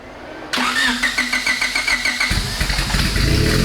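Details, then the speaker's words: Honda-powered Bugatti Veyron replica, turbocharged, first start after repairs: starter cranks in quick even pulses about two seconds, then catches and settles to steady idle; healthy start. "Oh, nice! That sounds kind of decent. Kind of. That is not bad."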